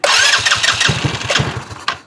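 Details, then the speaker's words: 2018 Trailmaster 150 XRX with known carburetor issues, new battery, cranked with brake pedal pressed: quick even cranking pulses with a few weak sputters that never catch; won't start, carburetor suspected. "Now you hear that? This thing will sputter and try to run, but it won't."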